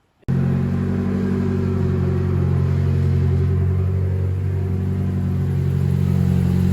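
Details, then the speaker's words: Tyler's turbo KA (KA-T) Nissan 240SX after the bad distributor was swapped for a good one and backwards fuel lines were found: it catches after a short crank and settles into an even, steady low idle with no misses. Normal idle. "tyler's ka runs now which is fantastic uh the distributor was bad so i brought over a good one uh plugged it in it worked we got spark"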